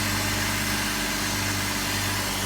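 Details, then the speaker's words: 2004 BMW X3 3.0 six-cylinder, first start-up after $800 of repairs (mass airflow sensor and other pieces replaced) that cured a rough idle: even, steady smooth idle with no shakes, rattles, misfires or ticking; normal idle. "So here's the first start up after some repairs. Perfect now. No shakes, no rattles, no misfires, no ticking, no nothing."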